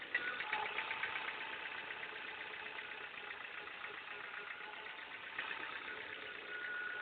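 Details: Ford engine idling with a fast, uneven tapping about four per second over a thin, raspy hum, and a burning smell noted; abnormal engine noise, cause not yet clear.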